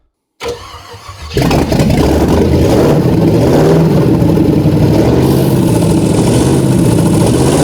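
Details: Ford Galaxie 500 classic project car: cranks briefly, catches and settles into a steady even run with light blips; sounds good, only running out of gas.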